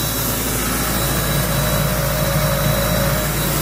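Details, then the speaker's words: Ingersoll Rand 185 CFM air compressor with a John Deere diesel engine, warmed up and under load during a sprinkler blowout at about 50 psi: a deep, steady drone with an even low beat and no knocks or rattles; normal, smooth running. "today you're out smooth a compressor runs purring like a kitten"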